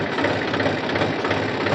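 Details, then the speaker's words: Tractor (transcribed as 'Farmer 35 Champion', New Holland per title) with oil-immersed brakes, mic placed outside: loud harsh grinding roar over the idle when the brake is applied, one side grabbing and the other not; low, worn brake oil, to be renewed with Atlantis UTTO oil. "यह मैंने break लगाया बहुत ही जोरो से आवाज आता है ना आपको महसूस होता होगा"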